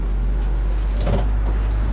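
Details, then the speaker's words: 1958 Chevrolet 3100 Apache, 283 V8 with TH350 automatic, cabin recording at steady cruise: deep, even exhaust rumble with road noise, quiet idle, good muffler, no drone in the cab; normal exhaust note. "Can hear the exhaust, but you're not droning out in the cab or anything like that."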